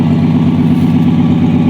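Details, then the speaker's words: 1965 Dodge Dart 225 cid Slant6 idling after a cold start, unstarted for a couple of months: smooth, evenly paced low burble with no misses or knocks, idling quite nice, normal. "But as you can see, it's idling quite nice. It hasn't been started up for a couple months, been in hibernation."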